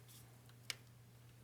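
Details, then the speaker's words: VW Beetle 1.9L timing belt job: single crisp torque wrench click over a low steady hum as the timing belt tensioner nut reaches 20 Nm (about 177 in-lb), wrench releasing at set torque. "i hope you guys heard that so that's good that's torqued"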